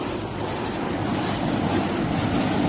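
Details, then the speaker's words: Old 1991 Bryant outdoor AC condenser, cooling poorly with high indoor humidity: steady loud rushing roar from fan and compressor, no rhythm change; old noisy condenser running. "the 1991 Bryant the house when I moved in in 2004 hoping to get it replaced soon because this doesn't cool very well in the house there's a lot of humidity"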